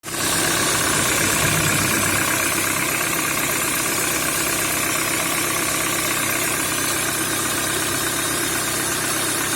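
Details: Peugeot 307 with EW10J4 (RFN) engine at steady idle, a light, fairly regular internal knock at roughly three per second over the engine hum; engine knock.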